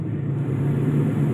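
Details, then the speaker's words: Proton Saga air-conditioning blower fan: a steady low drone with a faint rough undertone that comes and goes; a worn blower motor bearing; oiling fixed it for only two days, so the blower is being replaced. "You can hear now the fan noise. This is the bearing. Sometimes it go on then go off."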